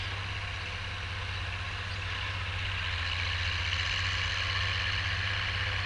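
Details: Oliver 1550 tractor, about 54 hp, pulling a JD BW disk 6–8 inches deep after fuel-system contamination cleared: steady, even diesel drone with a firm low beat and no misses or knocks; pulls cleanly under load.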